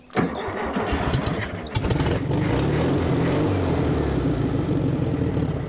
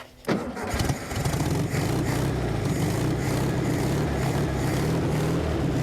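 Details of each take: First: 1974 VW Thing engine, first start since about 1989, fed only a splash of fuel in the carburetor bowl: cranks, catches and revs unevenly, surging and struggling; not enough fuel, needs a gas can; fuel starvation. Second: Abandoned 1974 VW Thing air-cooled engine, first start since about 1989, with fuel added to the carburetor bowl: cranks, catches and settles into a steady, even idle with no knocks or misses.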